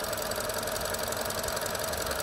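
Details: Petrol engine idling steadily with even tone and light regular top-end patter while the EVAP valve is clamped; positive fuel trims of 23% from unmetered air drop below 4%. Faulty EVAP valve; normal idle when clamped.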